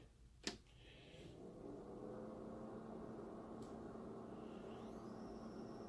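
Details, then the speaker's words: Mitsubishi XD700U-G DLP projector, lamp won't stay lit, powers up then shuts down: fan hiss then thin high whine rising and holding at power-on; suspected color wheel overspeed, later traced to misplaced color wheel index mark. "I don't know if you could hear that that that sounds high high-pitched I don't think that's good although I'm not sure if that's definitely the color wheel now"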